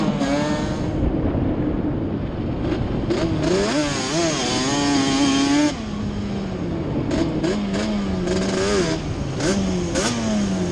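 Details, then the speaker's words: Yamaha Banshee two-stroke twin ATV on a test ride after moving the carburetor needles back to the middle position: revs up and down cleanly under riding load, pulling smoothly with no misfire. "the miss is gone so just moving the needles back up to the middle position straightened it out"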